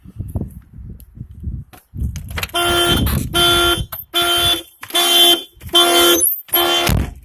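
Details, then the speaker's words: 2000 VW Jetta 2.0 four-cylinder, after fixing stalling and no-start with P0231 code by checking fuses: loud pulsed siren bursts about one a second, each a steady shrill tone; alarm now working properly. "The alarm works now. Everything should work."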